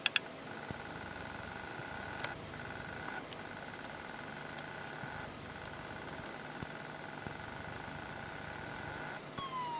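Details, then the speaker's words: Very old laptop hard drive at power-on: thin steady whine, sharp clicks and a rising sweep as it tries to spin up; abnormal noise from inside the drive. "Hey Leute, ich habe jetzt hier eine Laptop-Festplatte und die macht komische Geräusche."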